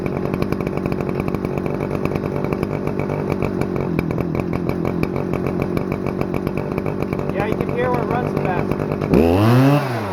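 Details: Stihl FS-250R 40cc two-stroke trimmer after a carburetor rebuild, at full throttle on 50:1 ethanol-free mix: crisp, steady high-pitched scream holding full revs without sag or misfire, then dropping off; running cleanly.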